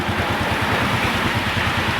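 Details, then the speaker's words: 1997 Honda Astrea Grand motorcycle keeps idling with an even steady putter after key off, neutral light out; faulty CDI keeps ignition alive, engine run-on. "Kita coba matikan kontaknya ya. Lampu netral sudah padam ya, tapi motor masih menyala ya."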